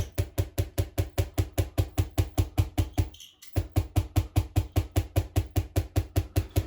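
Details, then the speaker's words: Solid-state Tesla coil with secondary base current-transformer feedback, primary raised for higher coupling, variac at about 35–40%: sharp buzzing chirps repeat about 2.5 per second with flashovers at low input; owner suspects oscillation at a harmonic, unconfirmed. "So, I've raised the coupling by raising the primary up and I'm at about 35 40% in the variac. It starts making this weird high frequency chirping noise."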